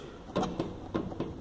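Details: Mitsubishi Pajero TR4 knocking in the suspension after hitting a pothole, also when braking: four dull knocks as the wheel is rocked on a lift, caused by a suspension control arm bushing that slipped out of place.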